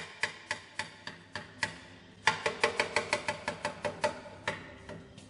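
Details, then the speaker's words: Light aircraft exhaust can removed for inspection, screwdriver tap test: tapping ring turns duller and deader over a spot where the wall has eroded; needs weld repair. "what I'm doing now with the screwdriver is what we call the tap test and you can often hear the tone difference of the tap if there's an eroded part of the material there will become a lot dollar"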